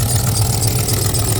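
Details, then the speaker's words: 1991 OBS truck warming up, before long tube headers are fitted: quiet from one side, but a deep idle rumble with a coarse, ugly, uneven edge on the other side, plus a belt squeal; rough idle on one side. "now you hear how ugly it sounds? She's so sick."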